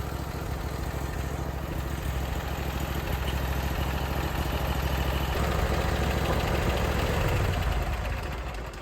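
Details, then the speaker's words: Briggs & Stratton Vanguard V-twin on a Vermeer SC362 stump cutter, warm after push rod replacement and valve lash adjustment, restarting without issue; smooth even idle with steady beat, no knocks or missed beats, running healthy. "It's warmed up, ready to go, and starts right back up. No problem, no issues. Engine sounds very, very smooth all across."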